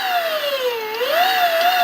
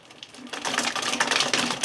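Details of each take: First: Electric WR250E conversion, motor run forward: clean steady whine rising and falling gently with throttle, no pulsing or knocking; smooth, unlike reverse where full throttle makes it pulse. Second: Electric WR250E conversion, chain guide refitted with Loctite, reverse at full throttle: rapid uneven clattering ticks as the controller's reverse speed limiter cuts in, making the drive bind; gentle throttle avoids it.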